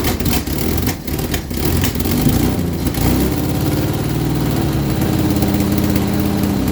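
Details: Vauxhall Viva HC during rebuild, first start after refit with temporary fuel supply and lead additive: rough idle with irregular metallic knock after a throttle blip; owner suspects a slipped guard plate in the gearbox, belt removed to rule out alternator and water pump.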